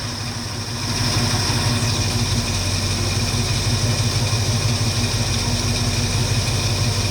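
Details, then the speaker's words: 1969 Mustang V8 after disc brake conversion, cold with choke coming off, idling about 650–700 rpm, expected to drop toward 600 when warm; low even burble with no misses, knocks or ticks; normal idle. "So we're idling. Right now we're idling at about 650 RPMs, maybe 700. After it warms up, it'll drop down a little more. I got it all the way down to 600 RPMs last night. So it runs really well, as you guys can see."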